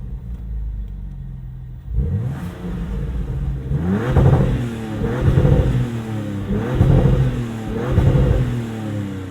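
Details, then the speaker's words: 2026 Dodge Charger Scat Pack, 550 hp inline-6 Hurricane twin-turbo petrol, heard under the open hood: starter catches, engine fires cleanly and settles, then several crisp, even rev blips rising and falling smoothly; healthy six-cylinder. "It's It definitely makes the right noises for an inline 6."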